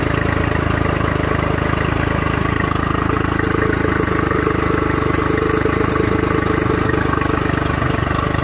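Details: Honda 40 HP carbureted three-carb outboard with electric choke (by-starter), sat 3 months, on non-ethanol fuel, started at zero throttle, warming on its own: steady even idle thrum, no misses or knocks; running cleanly.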